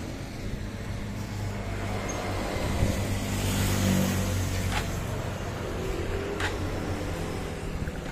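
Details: Honda Supra X 125 (KPH engine) after piston ring and valve seal replacement for white exhaust smoke, run without muffler: small single putters at a low, steady idle with no misses and no more smoke; normal idle.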